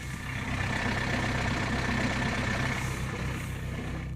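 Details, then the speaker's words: 1998 Citroën Saxo 1.4 L diesel, tired; steady low idle with soft even diesel clatter, no knocks or misses; normal diesel sound. "good old diesel sound."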